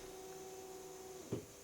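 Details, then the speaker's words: Alfa Romeo 156 with a new replacement wiper motor tested with the ignition on; only the fast speed had worked before. Faint, steady motor hum that stops with a soft clunk as it parks, running at normal speed and on intermittent. "il marche en vitesse normale. Par intermittence, c'est bon."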